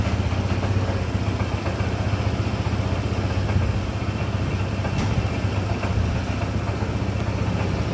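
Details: Honda ADV 160 single-cylinder scooter just after engine oil change (about 800 ml), running a few minutes before rechecking dipstick: steady, even idle with no knocks or rattles; engine running normally.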